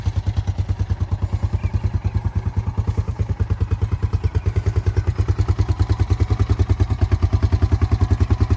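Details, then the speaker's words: 2000 Honda Foreman 450 ATV, bought as a rough no-start project, after fixing and reassembly: steady, even single-cylinder thump at idle with regular beat, no knocks or misses; sounds healthy. "So, it sounds pretty good. And um let's go ahead and hop on this thing and we'll take it down the street."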